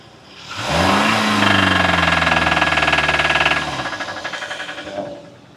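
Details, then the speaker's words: 2012 Hyundai Sonata 2.4L, towed in knocking, oil full with metal shavings, DTC P1326: engine revving with steady metallic knock about four a second, mic near engine; rod knock, self-destructed base engine. "see this thing has a rod knock I don't know if you guys can hear it or not I'm going to put the microphone up"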